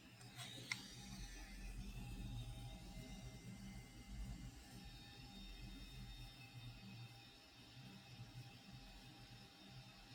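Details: DJI RC 2 controller (DJI Mini 4 Pro setup, under 30 flight hours, never dropped) internal fan at high RPM, volume boosted 20 dB: thin steady whine with uneven gritty rattle, worse when tilted; grinding, rattling fan.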